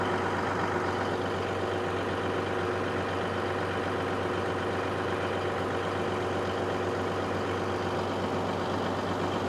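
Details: Caterpillar SS250 soil stabilizer 3406 diesel, sat 5–6 years, just started unprimed; settles into steady even low idle with constant drone, no knocks or misses, about 40 psi oil pressure; sounds healthy.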